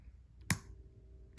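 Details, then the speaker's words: 1995 Honda Shadow VLX 600 VT600CD motorcycle starting system: two sharp single clicks about a second apart, then nothing; intermittent starter engagement, suspected dirty engine start/stop switch not completing the circuit, cleaning planned. "the actual problem i can't even get it to go now is in the engine start stop switch that's why every so often i would get a jump because it might have been complete in the circuit look at that so this switch is dirty"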